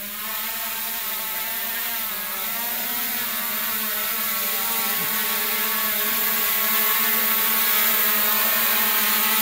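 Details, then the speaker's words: Xiaomi Midrone 4K drone after motor maintenance, in test flight at about 30.5 m altitude: even high-pitched rotor whir holding steady and rising slightly without wobble or rattle. Normal flight. "estamos aqui há 30 metros vírgula cinco o drone certinho gente funcionando belezinho"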